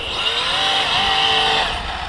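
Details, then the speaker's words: 12S Rovan F5 RC hypercar with a Poseidon C2028-P6 600Kv motor and 300A ESC on its first run. A high electric whine climbs sharply and holds under full throttle as all four tyres spin and balloon; this is wheelspin, not a slipping clutch or diff. "then i realized it isn't any kind of major issue other than all four tires are spinning like cr"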